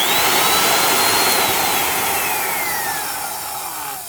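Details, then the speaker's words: Black & Decker Best deluxe 1/4" router spinning down after a short run; high whine falls steadily with a loose rattle as it slows, from the motor end wobbling in the worn upper sleeve bearing. "That's the sound of the end of the motor wobbling around and rattling in that sleeve bearing. That's why I'm not a big fan of sleeve bearings."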